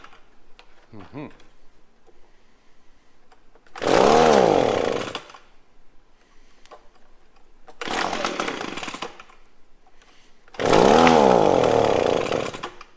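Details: Echo PB-250LN handheld two-stroke blower after fresh fuel mix replaced old fuel: three throttle bursts between quiet idle, revs rise then sag and stumble, middle one barely picks up; still bogging, carburetor needed adjusting.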